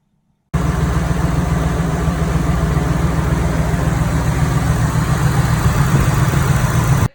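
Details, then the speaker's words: Toyota 1UZ VVT-i V8 after incorrectly set scissor gears were corrected: deep, smooth, steady idle with no clatter or tapping from the front, no longer sounding like a tractor. "That sounded much better. As you can tell, no longer sounding like a tractor."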